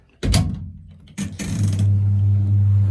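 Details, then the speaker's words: Zanussi TD200 auto-reverse tumble dryer, exhaust fan stopped blowing while heat still works: a couple of clicks, then a steady low mains hum with no spin-up. The fan motor gets power but is stalled, possibly something stopping it. "Yeah, so it's trying to work. It's trying to go right now. As soon as there's power to it."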